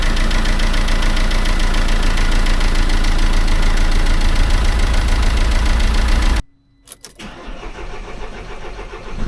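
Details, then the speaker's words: Mercedes-Benz C-Class S204 with OM651 diesel after DIY timing chain replacement: starts without problems, diesel audibly flowing back in the return line, steady even clatter about 3.5 beats per second, no knock or miss; normal diesel start and idle. "你可以听到柴油在回油管中回流的声音。它启动没有任何问题。"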